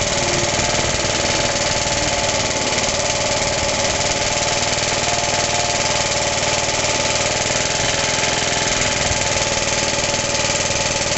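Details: Suffolk mower engine, first start after rebuild: loud, uneven knocking about four a second over a steady idle, not present before rebuild; compression good; owner suspects clutch or shrouding. Engine knock, cause unconfirmed.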